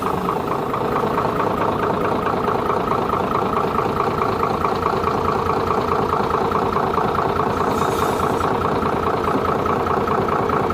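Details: Hino J08C diesel engine: steady, even idle with a smooth unbroken beat and no knocks or rattles; engine running clean.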